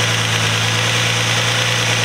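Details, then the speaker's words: Nissan Altima SE-R at idle: steady hum under a loud constant airy whistle from an intake vacuum leak where the catch can hose fitting meets the intake; owner plans to reseal it with Teflon tape. "And I don't know if you guys can hear that whistling noise, but it's definitely an intake leak. And I found that it's coming from my catch can."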